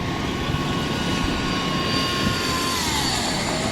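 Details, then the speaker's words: Passing Volkswagen Jetta on a Montreal street: thin steady high whine over street rumble; passerby suspects a power steering problem, maybe the pump, but admits he's no mechanic. Cause not confirmed. "You hear that sound that Jetta was making? That's a power steering problem. Power steering pump, maybe."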